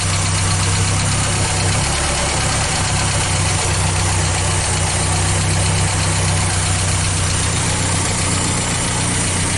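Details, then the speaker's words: Old petrol engine in International Scout 80, warm after steering column seal repair and coolant burp, carburetor untouched: steady but uneven, lumpy idle with irregular beat and a backfire; runs rough and needs tuning. "as you you saw from the backfire it definitely needs tuning"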